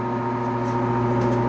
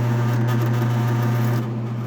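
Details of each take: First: 1966 Admiral Royal 106 air conditioner, restored, on fan only: loud steady electrical hum from the fan motor, which hums with or without the capacitor but self-starts only with the capacitor jumper; owner fears it was damaged by getting very hot. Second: 1966 Admiral Royal 106 air conditioner, restored, with the compressor running as head pressure builds: steady low hum with a faint rattle, no knock or squeal; compressor runs quietly and normally, though the unit is thought slightly low on refrigerant.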